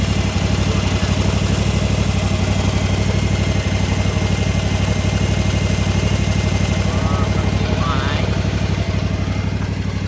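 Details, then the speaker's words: Gravely ZT/HD 44 hydro mower engine warming up at idle before oil and filter change, after fan and belt replacement and new battery; even low-pitched chugging, no misses, knocks or squeals, normal. "I'm just warming up the engine now. We're gonna go do the oil change and the filter, and we should be good."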